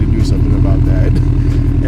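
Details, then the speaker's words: 2014 Toyota 86 (FR-S), 10 years old, heard from outside at the tailpipe. A rough, droney, raspy idle comes from rusted-through exhaust just past the muffler/tip. It can no longer be repaired, so a replacement is coming. Exhaust leak. "it sounds pretty rough yes it's still coming out of the bag but it is rusted out in this section right past this Muffler right here or this tip and driving it it's very droney"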